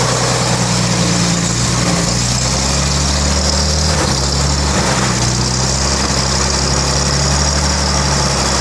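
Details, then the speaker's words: Rebuilt 1933 Chevrolet straight-six (5.6:1 compression, 74 hp @ 3200 rpm), first run in over 60 years: even, steady, smooth low hum with no misses or knocks. Normal idle. "Should be able to drop that right back. Listen to that. That is as smooth as, man."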